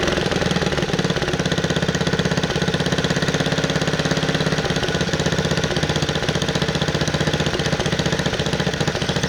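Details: 1969 Bolens 850 tractor, Wisconsin S8D 8.25 hp single: revving high, a hard, rapid, steady knock on every firing; heavy knocking at high rpm, cause not yet found, also idles poorly and smokes.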